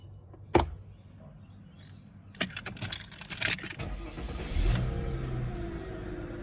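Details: Mercedes CLK 320 V6 after replacing the air flow meter (MAF sensor) that caused bogging and stalling: engine revs up smoothly with no stumble or bog, pulling cleanly; normal acceleration.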